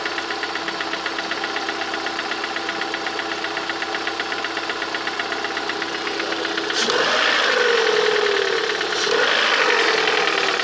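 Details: Lada 21126 engine at idle: a steady light knock about four times a second, louder as revs rise near the end. Engine knock, source unclear.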